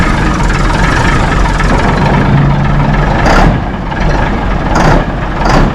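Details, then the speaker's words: 1964 Mack B-model T75 truck diesel just after a cold start, warming up: low heavy rumble that sounds lazy and flat, no clear knock; sluggish running, cause unknown. "I don't know what a down sound like. It sounds lazy."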